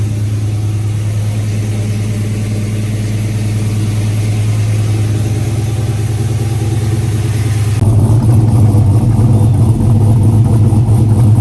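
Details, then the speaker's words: GMC V8 after replacing the cylinder 2 direct injector and its melted seals, which leaked compression and caused a lifter-like tick: smooth idle and revs, deep even rumble, no ticking. "Let's get this wiring wrapped back up and then we'll get it all plugged together. Just like that. Got no more tappity tap."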